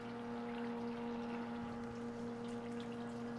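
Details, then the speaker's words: HVAC condensate pump test-run by holding it down, drawing 1.05 amps: steady low electric hum with a faint trickle as it pumps out the water, no rattles or grinding; runs smooth and powerful. "and remember if we test the pump we can just hold it down and you hear it run out of water just let it off pretty smooth pretty powerful pump"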